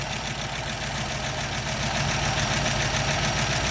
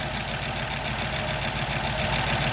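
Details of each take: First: 1936 Buick Century 320ci straight-eight, not run in 3–4 weeks, idling after exhaust manifold leak repair: steady, even idle with a light regular valve tick over the exhaust note; no manifold puffing or leak ticking now. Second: 1936 Buick Century 320ci straight-eight at smooth low idle after exhaust manifold repair, not yet warmed up: a light rapid top-end ticking over the exhaust from valves the owner says haven't been lashed in perhaps 50 years.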